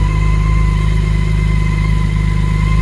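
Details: 2019 BMW K1600GT six-cylinder, cold start after nearly 5 months laid up over a Minnesota winter, no fuel stabilizer or prep: smooth, even low hum at idle, steady beat, no knocks, ticks or whine; normal idle.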